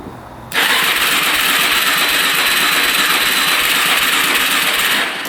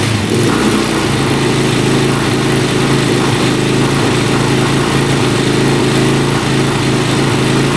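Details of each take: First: 2004 Suzuki LTZ400 quad sat 10 years, choke off, fuel on reserve: fast, light starter whir for about five seconds that never fires; engine spins freely, owner suspects low compression, not confirmed; cranks but no start. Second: 2004 Suzuki LTZ400 quad, sat for 10 years, after running out the flooding fuel and adding oil to the cylinder. Steady, loud single-cylinder drone holding even speed with no misses or knocks. Owner suspects flooding caused the no-start. Normal running.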